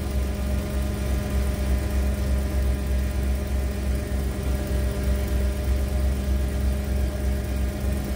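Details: 1991 Ford Econoline E350 dual-tank van after in-place repair of a fuel tank selector valve stuck on rear tank, tanks switched back and forth; smooth, even low idle, steady hum at constant pitch, no stumbling or knocks; running cleanly.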